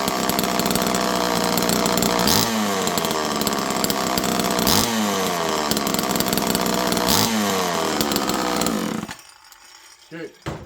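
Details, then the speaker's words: Homelite Super Mini chainsaw: crisp two-stroke that revs up and falls back cleanly about four times, then cuts out abruptly. It is running normally. "I'm going to fire this up one more time. This thing runs perfect."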